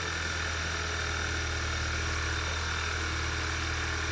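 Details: VW/Audi EA888 2.0 TSI petrol engine idling steadily and evenly with a smooth low hum, no stumbles or shaking, after a faulty ignition coil pack causing a cylinder misfire was found by OBD and swapped.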